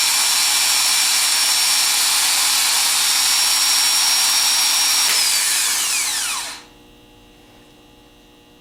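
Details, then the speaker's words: Rebuilt Denso starter on bench free-run test, powered from hot wire for about 10 seconds: smooth high-pitched whir holding steady at full RPM for several seconds, then winding down evenly; normal free run. "So we're going to try and hear a nice smooth run, and we want to hear it achieve a certain RPM like this."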